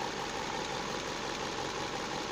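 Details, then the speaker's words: Opel/Chevrolet engine (Mokka, Cruz, Astra family) after ignition coil repair, warm: steady even idle hum, some cabin vibration but no hunting or stumbling, no error codes, temperature stable; normal idle. "вибрация конечно идет по салону но это всего лишь вибрация то есть и от роение вот этого подстраивания не слышу наблюдаем дальше так ну вот я вышел мужа из салона я говорю как есть он работает ровно"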